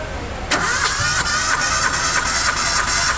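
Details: Engine cranked by the starter during a compression test for a misfire, in a slightly uneven rhythm of about three pulses a second; cylinder number three has low compression.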